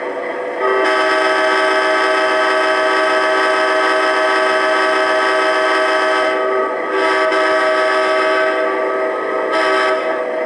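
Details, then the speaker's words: Atlas Amtrak Genesis model locomotive sound playback after fixing the shell buzzing at high volume; nothing found rubbing on top: the horn chord plays clean and steady from the small speaker with no rattle or buzz. "Great, no buzzing there. Let's try some of the other sounds here."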